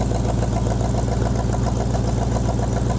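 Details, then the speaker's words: 1965 Ford Mustang 289 2V, four-speed, revived after 30 years in a junkyard, float adjustment just fixed flooding, about 57 psi oil pressure: even, steady V8 idle with regular firing pulses, no stumbling; owner suspects a vacuum leak somewhere but it idles cleanly. "Sounds like we got a vacuum leak somewhere, but we're idling, so that's good."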